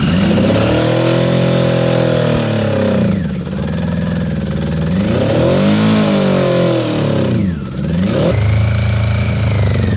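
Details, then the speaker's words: Honda CB750 barn find, 65,000 miles, sat outside for years: engine tries to fire on starting fluid, revving in uneven bursts, sagging and picking up, then stops after about 10 seconds; only runs on starting fluid. "Well, it was trying to fire then, but then it stopped. Well, that was about 10 seconds worth."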